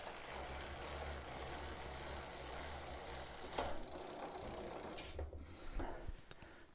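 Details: Giant Defy bicycle with a short-cage derailleur and 11/32 cassette, chain shortened by removing a link, pedaled forward: steady, even chain whir with no skipping, clunks or grinding.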